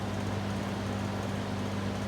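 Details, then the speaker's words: High-speed running of a vintage circa 1950-53 LAU "Niteair" 20-inch variable-speed, exhaust-only window fan. Steady, even motor hum with a constant low tone and smooth airy rush, no rattles or ticks. Runs really well and fairly quiet, so operation is normal. "there is the high-speed rain runs really well for change fairly quiet too"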